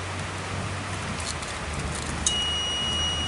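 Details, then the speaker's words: 2009 Nissan Tiida that cranks but won't start and keeps blowing fuses: steady engine hum, then a click and a constant high-pitched fuse-saver buzz when the harness near the battery is shaken, confirming a short to ground there. "if I shake it the harness you might hear the fuel saver buzzer go off again right so let's shake it"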